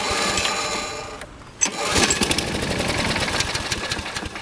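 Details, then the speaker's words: Toro Personal Pace Recycler 20332 7 hp mower, previously surging as if starving for gas; auto choke appears to work; catches, runs ragged, sags, pops, then sputters out: not getting gas, carburetor/fuel system suspected. "and that is about as much as it'll go right there it's just not uh getting gas and to keep [Music] running"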